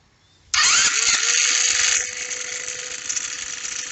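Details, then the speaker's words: Roketa 150cc GY6-style scooter, first attempt at getting it running: fires straight away and holds a steady revving buzz with a slight rattle when given gas, pulling cleanly without missing or stumbling. Normal running. "give it some gas sounds good"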